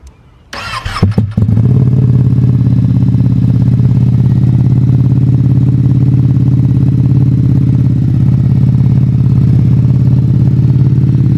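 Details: Ducati Panigale V2 with new slip-on exhaust and flash tune, cold start: quick crank, catches cleanly, then loud, steady, even lumpy idle with no knocks or misses; healthy cold start before warm-up.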